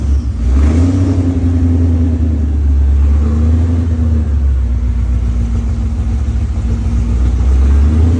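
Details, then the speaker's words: Freshly built, cammed Ford Terminator engine in a Mustang on E85 at first start, cold, open headers, no wideband connected; deep, lumpy, choppy idle that is steady underneath, very high oil pressure. Healthy normal idle. "so we got no wide bands open header that sounds good dude she sounds healthy healthy unit right there"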